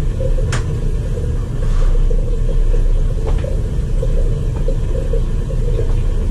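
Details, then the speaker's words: Crown hydronic boiler after purging air from zones, calling for heat: steady even low roar at high fire with no surging or popping, normal burner firing; air still noted in system, air scoop recommended. "there it is let's see if it heats up now they're good high fire"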